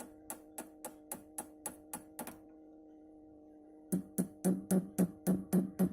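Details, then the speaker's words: Orange RockerVerb 50 guitar amp needing almost all tubes replaced: motorboating sound, and tapping the power tubes gives pinging, ringing thumps through the speaker over steady hum, showing microphonic power tubes. "It sounds like a motorboat going down the river. So, what I'm doing now is tapping the power tubes."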